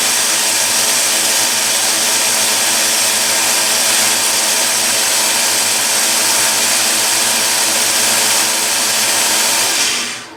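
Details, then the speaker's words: Delta 1-inch belt sander, quarter-horsepower motor, after repair with belt tension and alignment reset (it previously screamed high-pitched after running a while): an even, steady high-speed hiss with no whine, then a clean spin-down. Running normally. "so I think we've got a success yeah I think we've fixed it"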